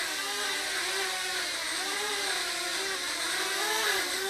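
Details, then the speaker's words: Blade 200 QX brushless quadcopter flying indoors, yaw rate at 100%: steady high rotor whir with a wavering, slightly grindy edge as it yaws; normal resonance or electronic sound common to all of them, not a fault. "but as far as I can tell that's normal and they all seem to do it and nobody is proven any sort of problem because of it and I think it's just some sort of resonance or electronic sound"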